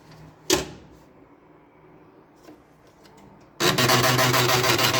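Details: Old HP LaserJet P1102 printer starting up after a click with a loud, rough grinding rattle; the printer is noisy and jams paper because of a broken drive gear, replaced with a second-hand gear.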